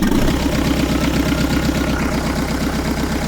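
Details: Rebuilt 2.5L VM diesel in a Range Rover Classic, refitted after eight years off the road: loud, steady diesel chug at a settled idle with no misses or knocks after a hard first start; engine running evenly.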